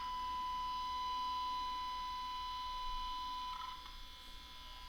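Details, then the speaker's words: Zenith 5D810Y radio capacitor outside-foil test, 1 V 1000 Hz signal: 1 kHz tone goes practically quiet once ground lead attached in this orientation, so outside foil is correctly on the ground side, helping eliminate noise. "ground lead goes on and it's practically quiet this way at a lower voltage coming out of the sig gen"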